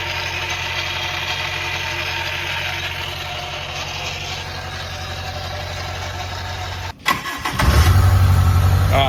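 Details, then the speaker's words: Toyota KE30 Corolla first start after fuel system install: engine runs with a steady slapping flutter about four times a second from an overlong accessory belt, then cuts out and restarts. "also got to get another belt you're going to probably see that in the video flapping around making noise that belt's actually too long"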